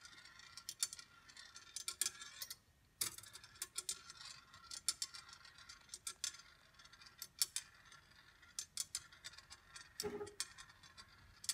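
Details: Congreve rolling-ball clock after oiling pivots, adjusting the escapement and leveling with shims, tipping every 15 seconds: light irregular ticks and small rattles of the ball rolling along its track; running normally.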